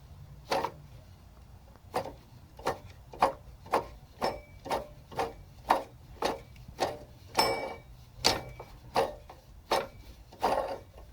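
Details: Sharp, dry clicks and creaks, about forty a minute, from a bad belt tensioner moved with the engine off.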